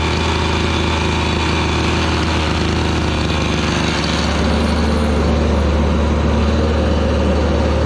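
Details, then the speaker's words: Gas-powered Razor dune buggy with small two-stroke engine (LH cylinder, RC pull start), usually running around 3,900: steady, fairly even buzz with no misses or knocking; sounds good and healthy. "Still sounds good and healthy."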